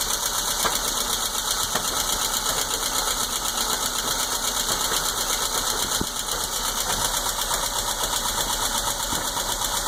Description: Knocking or popping sounds from a 77 Spitfire while idling.